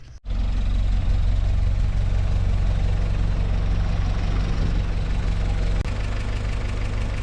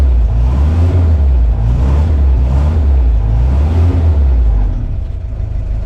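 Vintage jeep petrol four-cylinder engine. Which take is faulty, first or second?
second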